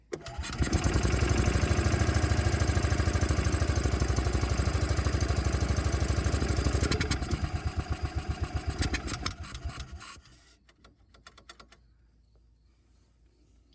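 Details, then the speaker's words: Bobcat Pioneer (Club Car Carryall) two-wheel-drive UTV, marketplace revival, fuel added by funnel, in neutral with parking brake on: catches and chugs at steady idle several seconds, then falters and dies when accelerator pressed; runs better on choke, cause unconfirmed. "okay so it doesn't want to throttle up but it runs what that is idal does not like something still haven't been able to test the transmission but I can't rev it up without it dying"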